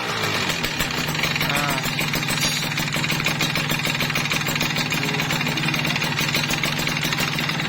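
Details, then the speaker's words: Kawasaki Ninja RR, before repair, whitened bore: a hard, fast metallic rattle rides on the idle throughout, very loud and coming from the cylinder/barrel, a worn bore letting the piston slap. "Bagian yang letreknya itu ada di bagian sini ya, kedengarannya keras banget."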